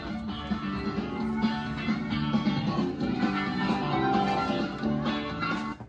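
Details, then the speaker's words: Whac-A-Mole arcade cabinet under restoration: attract-mode jingle plays cleanly through the speakers after plugging in the fluorescent lights, showing the motherboard sound works while the melted, fuse-blown I/O board stopped responding; owner suspects a short in the fluorescent lighting. "So that tells me that the sound card on the motherboard is working, but the I/O input has stopped working now that those lights have been plugged in."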